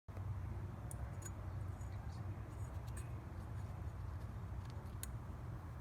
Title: Mazda Miata NB 2003 rough idle fixed part 1: at a stop light. It wants to die